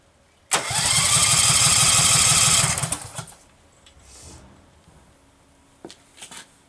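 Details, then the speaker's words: Case 446 tractor, first start after rewiring, with fresh oil and hydraulic fluid. Fuel reaches the filter, but it cranks evenly at about three turns a second without catching. No spark reaches the plug because of a wiring fault. "what did I do crap sounds like a spark problem like I'm not getting any spark"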